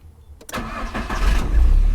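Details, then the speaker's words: Car starter motor cranking the engine, first sound before it starts, likened to a blender; steady low even unlabored whirring crank after a brief pause, healthy starter turning the engine over until combustion takes over. "La marcha, como les decía, es la que arranca nuestro carro. No está funcionando todo el tiempo, únicamente es la que hace que arranque el carro."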